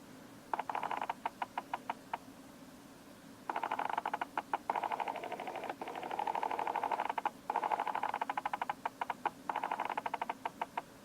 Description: Canon 70D + Canon 85mm f/1.8 USM Lens testing autofocus noise in video. It's certainly not the most pleasant or silent autofocus noise from a lens.